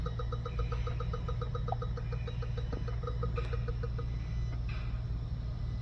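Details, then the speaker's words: 2016 Honda Civic with radiator cooling fan not working (U0401, P0480 codes), fan commanded on by scan tool at idle: rapid evenly spaced clicking like a solenoid or relay cycling, which shouldn't be there; cause not yet found. "that clicking shouldn't be there interesting look like a solenoid coming on and off"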